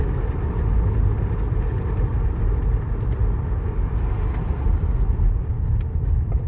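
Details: 2010 Toyota Sienna at idle with code P0305, cylinder 5 misfire: rough, lumpy idle with an uneven stumbling beat as one cylinder drops out; coils and plugs reportedly already replaced, injectors suspected; cause not confirmed.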